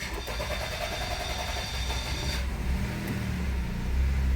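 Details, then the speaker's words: Honda N-WGN first start right after throttle reset to zero during service: long uneven cranking before it reluctantly catches into a low rough idle; hard start, the car hasn't adapted after long running on a dead throttle flap. "Трудно завелся так. Первый запуск. Он сейчас одуплится. Он не понял, что произошло."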